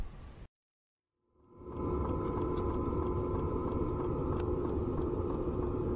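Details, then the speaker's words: Electromagnetic fuel pump on a Grasshopper caravan trailer, mounted on the frame with a standard rubber clamp and heard from inside: loud, regular ticking about 3.5 per second over a hum. Quieter than when body-mounted; damping is planned. "это насос электромагнитные Ну короче он стучит очень сильно все равно конечно гораздо тише чем было когда он стоял просто вот здесь на кузове рецепт на раме но все равно внутри слышно"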